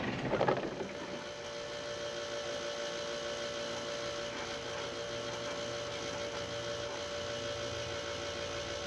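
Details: 2005 Ram 5.9 Cummins diesel with FASS lift pump, with both filters pre-filled: starter spins the engine at a steady, even rate with a constant whirring tone but it never fires. The filter was later found low, so a lift pump that is not pumping or not keeping up is suspected.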